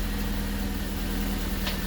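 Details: Golden Quack car with a newly installed replacement engine (the previous one overheated), no transmission fluid: a low, smooth, even idle with a steady hum and no knocks, misses or surges, a normal idle.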